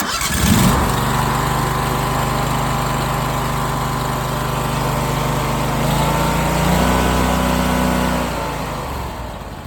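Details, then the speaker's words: Vermeer TS-50M tree spade engine started on choke with throttle at about a quarter: quick crank, catches and settles into a steady even drone at slightly raised idle; normal cold start. "So I'm going to choke it. I'm going to give it a little bit of throttle, put it at about a quarter and fire it up."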